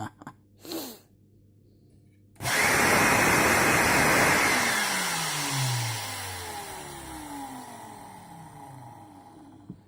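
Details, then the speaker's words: Bosch GAS 18V-LI cordless vacuum after bypassing its failed control board with a simple red switch: motor kicks in abruptly with a high, airy whir that holds steady, then sinks in pitch coasting down; runs fine. "Показываю. Все работает без этой платы."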